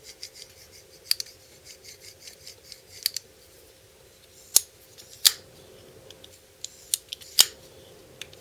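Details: Stiff, dry new BL06 folding knife out of the box: sharp gritty scrapes at each rapid open and close while breaking in the unlubricated pivot, with the detent ball scribing its track; fix is lube and pivot tension check (T9 Torx).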